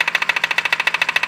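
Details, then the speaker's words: BMW with 70,000 km: hard, evenly spaced metallic knocks at about thirteen a second from the front of the engine, caused by a failed crankshaft pulley damper (common around 60,000–70,000 km) that had also frayed the belt; pulley replaced. "这宝马设计有个小通病，我觉得它那个曲轴皮带梁上面设计了个缓冲的，大概在6到7万公里左右就开始损坏了。损坏之后它就有间隙就会敲击声。"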